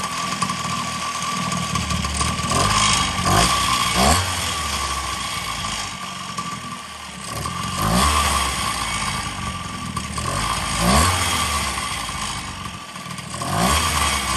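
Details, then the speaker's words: X8 two-stroke pocket bike with new pulley, no chain, exhaust pipe removed: loud, raspy buzz surging and sagging unevenly with crackly bursts and no silencer note; running with open exhaust. "we got exhaust still off back here so we're going to still try to crank it and see if it blow out"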